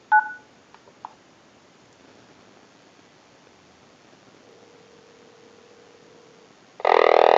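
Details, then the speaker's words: Vintage Frog telephone after repair, ring circuit redesigned to sound more frog-like instead of the original tweeter chirp, line cord installed, rung by calling from a cell phone; a few keypad-style beeps, faint steady tone, then loud warbling ring, ringer correct. "We also redesigned a circuit so that it sounded more like a frog on a ring cycle than just a tweeter type noise that you heard on the ring cycle earlier in the video, and installed a line cord for the unit."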